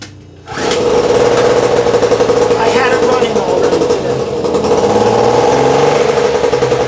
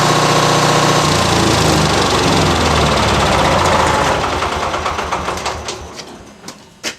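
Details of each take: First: 1000 W two-stroke generator running unloaded: fast, buzzy drone holding a steady pitch and speed with no surging or rattles; normal running. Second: Generator; steady fast two-stroke beat that fades, slows and dies with a few last coughs; generator stalls, cause unknown.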